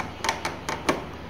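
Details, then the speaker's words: Ola S1 Pro electric scooter running in reverse after service repair: sharp clicks about four per second over a faint low hum, abnormal clicking noise in reverse. "guys so I'm quickly demonstrating how ribbles total is making sound on my S1 Pro"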